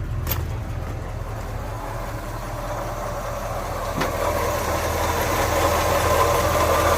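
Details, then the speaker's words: 1948 Ford F5 bus, abandoned 25+ years, on a new custom exhaust: steady, even low thrum at about four pulses a second, building slightly, no knocks or misses; the old engine runs quiet and smooth. "Hey guys, it sounds good. It's so quiet though. I'm almost a little disappointed, but no, it sounds great."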